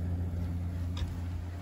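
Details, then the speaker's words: Newly installed AO Smith BTR-500 boiler (Honeywell gas valve replaced twice, about 7.5" WC gas pressure): steady low burner roar continuing with power off, stopping only when gas is shut off; gas valve appears reversed, flame roll-out too. "we don't want to kill the occupants of the country club so we have and it's still going too by look at this it's still going power's off"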